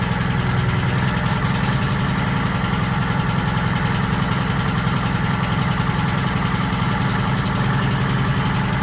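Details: 1940s Allis Chalmers D5 or HD5 crawler with 2-stroke Detroit 271 diesel, first run in many years: deep, steady clatter holding even speed with no knocks or stumbles. Motor sounds good; heavy smoke suspected from a problem injector.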